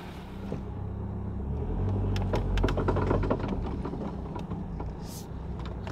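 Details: Vehicle with both CV axles bad, rolling: quick repeating pops, about four a second, over low road rumble; classic worn outer CV joint clicking.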